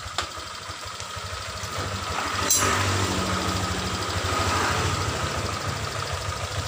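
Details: Honda Vario 125 scooter after repair of rolling without throttle: steady even idle with soft regular beat, no clutch drag or slipping noise; normal idle, rpm called good for smooth oil circulation.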